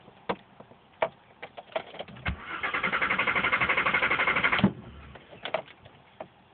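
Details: Mk4 Jetta VR6: scattered clicks, then about two seconds of cranking at roughly four beats per second that dies without catching. Intermittent no-start that worsened over time; the owner believes a battery cable was the cause.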